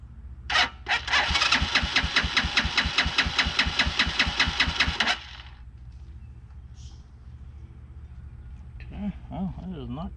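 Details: 2010 Dongfeng DF250RTB 250cc single-cylinder air-cooled motorcycle after 10 years sitting, fresh gas added: even starter chugging about five pulses a second for four seconds, no firing; not getting fuel, so the carburetor comes off.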